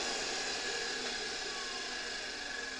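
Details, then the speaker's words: 1973 Electrolux Z320 vacuum motor bench-run at 24 V after removing the exploded suppression capacitor, switched off: high airy whine fading and dropping in pitch as it coasts smoothly to a stop; no brush sparking and it runs quietly. "It's slowing down, slowing down, slowing down. It's about to stop."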